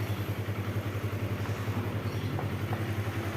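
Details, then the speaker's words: Kawasaki KLX 150 at idle after repairing a rough, noisy engine (blamed on late oil change) without replacing parts; steady even low beat about three and a half pulses a second, no cracking or ticking; normal smooth idle. "ध्वनि फिर से चिकनी है, दोस्तों, यह है। ई, यह पहले की तरह कठोर नहीं है, हां, कोई क्रैक, क्रैक, क्रैक ध्वनि नहीं है"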